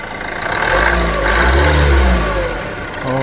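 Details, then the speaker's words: SAIC Maxus G10, Yunnei 1.9T diesel, 130,000 km, after replacing both loose timing chains that caused knocking, shaking and weak acceleration: smooth, even diesel idle with a brief rev, no knocking or rattle. "异响没有了。这才是柴油车该有的声音嘛！"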